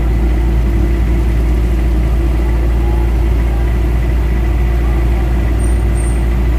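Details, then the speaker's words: Mitsubishi Adventure diesel, warm, idling about five minutes after XADO engine treatment for throttle delay and vibration: aircon on adds load; deep steady idle, slightly heavier but even and smooth, healthy. "Ay sorry ako palao bumigat na siya may aircon y kaang mabigat yung may ano may [Musika] load nasa iding stage tayo guys"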